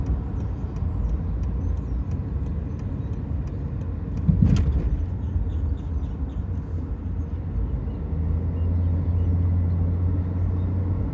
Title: 2008 Dodge Nitro-Squeaking/chirping sound when brake is applied. Driver left. What is causing this?